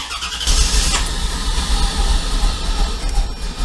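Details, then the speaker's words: 1994 Corvette running terribly, lumpy uneven misfire after Seafoam treatment; owner fears Opti-Spark or injectors, plans left-side plugs then fuel filter; cause unconfirmed. "man it's just running terrible"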